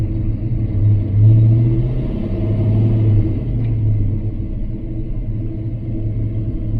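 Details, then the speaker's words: Fox-body Mustang with new SVE 170cc heads, driving: steady low engine rumble, loose gear rattles, clutch takes up cleanly and the shift goes through with no grinding; normal clutch engagement. "This isn't tight, so gear rattles, that's what it is. Clutch engagement is really good on the car."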